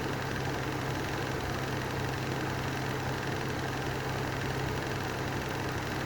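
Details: Lanson Style 3 exhaust fan: steady drone with a rough, gravelly hum underneath and no speed change; worn bearings needing replacement.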